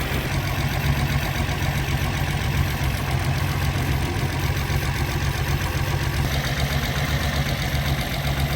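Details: After test drive on rebuilt Solex Mikuni Type R carburetors, extra throttle return spring refitted so throttle no longer hangs: low, even idle with smooth steady beat, no misses or knocks; normal idle.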